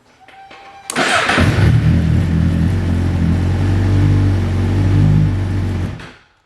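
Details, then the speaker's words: Motorcycle that only clicked with gauges on due to low battery, after charging the battery 5 to 10 minutes: starter catches within a second, then steady even low idle with no misses. Starts and runs normally after fix. "okay now that you're done charging go ahead and start up your bike"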